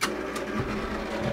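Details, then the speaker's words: 1961 AMI Lyric jukebox, back open, after selecting H3: busy mechanical clatter and whirring as the selector cycles, uneven clicks as it sometimes struggles to push the pin in, then pulls the right record; records otherwise keep spinning nonstop. "You can see that, I don't know if you caught that, but the selector thing spins around and it tries to, oh, it did, it pushed it in. Sometimes it struggles to push the little button in, but here we go."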